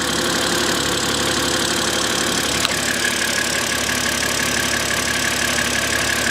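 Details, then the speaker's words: BMW 130i idling: even settled idle, steady hum with light valvetrain tick, no misfire or hunting; healthy. "I mean just have a listen to this engine doesn't it sound absolutely sweet"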